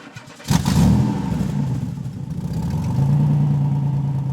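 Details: 1960 Corvette during restoration, first start in over 20 years once points fired; cranks briefly, fires with a burst, wavers, then holds a steady fairly even idle, normal start.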